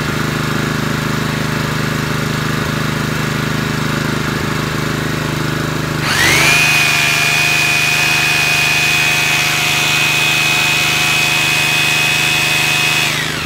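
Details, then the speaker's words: Honda GX160 5.5 kW generator after carburetor clean with blocked main jet cleared, power drill plugged in: engine ticks over smooth and even, holds steady as drill load comes on without stumbling; healthy under load. "there we go another simple job completed on richard's home mechanics that's now ready for work tomorrow"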